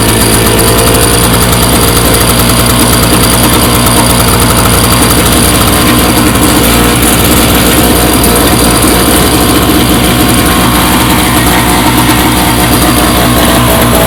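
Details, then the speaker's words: MTD Yard Machines 4.5 HP 21" snowblower after cleaning its gummed-up carburetor with a clogged main jet, on fresh gas: loud, steady single-cylinder chatter with an even beat, no surging or stalling; runs normally. "so I obviously got it back together and it's running tubers so just a little bit of carburetor cleaner that thing's up and running"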